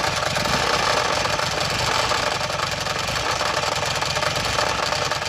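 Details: Buell Ulysses V-twin at idle: fast, hard metallic tapping riding over the lumpy exhaust beat; engine knocking of unknown origin.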